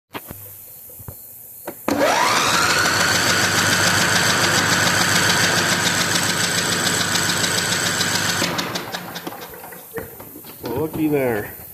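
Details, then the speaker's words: Older Simplicity Broadmoor, 16 hp Briggs & Stratton V-twin that cranks but won't start despite spark and fuel, compression test: starter cranks evenly without firing; cylinder 2 under 30 psi, later found to have a bent intake pushrod. "Less than 30 lb. That's not good. Let's pull the valve cover off and check the valves."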